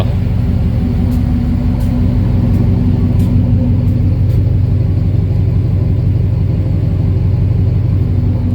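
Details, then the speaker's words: Rebuilt service truck engine after the ignition timing was retarded slightly: it cranks better than ever and settles into a deep, steady, even rumble with no knocks or misses. Normal running while cold, before it warms to operating temperature, where timing trouble appeared before. "Truck's running good. Let's fire it up. She's cranking like she's supposed to now. That's about as good as it's ever cranked."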